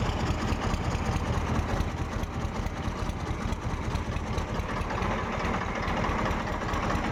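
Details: Diesel engine (farm pump/tractor) after injection pump setting fix and head work, even steady idle chug with regular firing, no uneven beat; takes load well, sound no longer changes after running warm, good pickup; normal idle.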